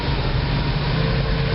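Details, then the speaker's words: 1986 GMC Blue Bird bus, 366ci big block with 4bbl Holley carburetor, after a throttle linkage fix: steady low idle rumble that keeps running only with choke pulled, dies with choke in; owner suspects a blocked passageway or jets. "pull the choke out it'll run fine put the choke all the way in and she'll die and then once she dies she won't start"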